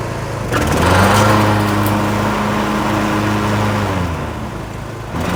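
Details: Cub Cadet LTX1040 with a Kohler Courage single-cylinder engine, after engine-fire repair: coil, fan, air filter and housing replaced, carb cleaned of ethanol deposits, and valve cover gasket replaced (likely oil leak onto muffler). It revs and holds a steady drone under mowing load; runs healthy.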